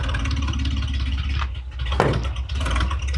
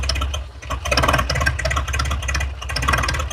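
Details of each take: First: 1966 International 1100 pickup, idling about 300 rpm: slow lumpy idle with a light tick like an exhaust leak; tick traced to a rudimentary EGR-type fitting, improves when covered; ticking at idle. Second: 1966 International 1100 pickup idling at about 300 rpm per the tag, with a steady low rumble. A tick like an exhaust leak comes from a rudimentary EGR-type port; with it covered, the ticking fades and the idle runs smoother.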